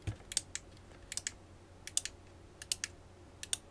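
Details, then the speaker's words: Cheap 4-channel wireless remote relay kit on 12 V, fob buttons A–D pressed: sharp paired clicks about every three-quarters of a second, each relay pulling in cleanly with no chatter, pitch varying per relay. Normal relay switching. "And I can tell as I push A, B, C, D, I can hear the pitch of these relays actually changing."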